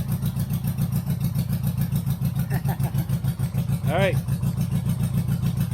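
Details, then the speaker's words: 1983 Honda GL1100 Goldwing barn find, just revived on fresh gas, being left to warm up: steady, even low throb at fast idle, no knocks or misses; normal warm-up idle. "I think that's it for now I'm gonna let her warm up"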